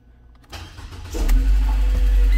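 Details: Mercedes-Benz B200 (Canada-only model), no-start fault with a bad relay suspected, fuel pump heard priming: short crank, catches within a second and settles into a steady, even idle.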